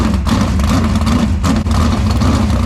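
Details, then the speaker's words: 410 non-wing methanol-injected sprint car V8, about 900 hp, push-started on pavement: fired right up into a loud, lumpy big-cam idle, running steady with no knocks or misses; normal idle. "But this thing fired right up, which is super awesome because this doesn't always happen like that, especially with the quad."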